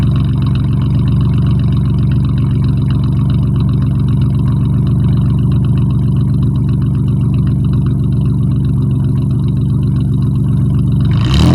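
A cold V6 idles with a deep, slightly uneven drone, then takes two quick revs; an exhaust leak is present.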